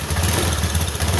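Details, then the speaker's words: Honda Beat CBS scooter that is hard to start: engine held on slight throttle gives a lumpy, uneven low putter and stalls whenever throttle is released, repeatedly running then dying; no response or power when accelerating or climbing; cause not yet confirmed. "Tapi ketika gas tidak kita tarik, motornya mati lagi. Kita engkol lagi. Ah, penyakitnya seperti ini. Dengarkan. Nah, mati lagi. Hidup mati hidup mati."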